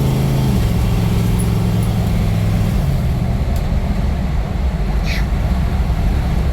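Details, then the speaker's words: International Scout with a fresh GM Performance 430 hp LS3 and 6L80 six-speed automatic, cruising at 60 mph and 1,800 rpm in sixth with the converter locked: a low, steady drone with road rumble, smooth and even with no knocks or misses. "this thing is super happy grow at 60 MPH at 1,800 RPM everything's for six gear trainy locked up but this thing has the sauce now"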